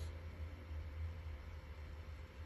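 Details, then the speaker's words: Hikvision unit with replacement cooling fan: quiet even low hum with no rattle or grinding; new fan runs smoothly, clearly quieter than the old intolerable one, though not silent. "but it's not silent and it doesn't kick on only when it's and that's real yeah it won't bother me this won't bother me i can work alongside this because i like quiet you know"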